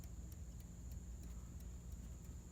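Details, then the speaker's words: 1954 Chevrolet with fried dash wiring, old dash clock that never worked, set to noon: light, steady ticks about three a second over a faint hum; clock now ticking normally. "Gang, that ticking, it appears to be the clock. I don't even know what to say about that."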